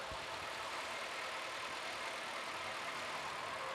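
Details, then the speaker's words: Small 1.0 car at 71,000 miles, checked for an intermittent loud rattle: an even, slightly buzzy idle with no rattle. The rattle could not be recreated after full warm-up and drives. "now it's they're not the smoothest engines in the world these little 1 Vibes but there's nothing obvious there"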